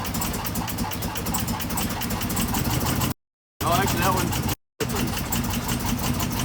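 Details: 2016 Chevrolet Camaro LT1 V8 at idle, with a factory fault that first seemed like bad gas. The idle is lumpy and stumbling with dropped pulses, and unplugging coils one by one made no difference. The misfire came from a cracked valve spring.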